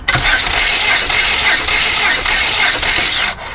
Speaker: Cylinder 1. 12.5 bars. I can smell fuel. Cylinder 2. Almost 13.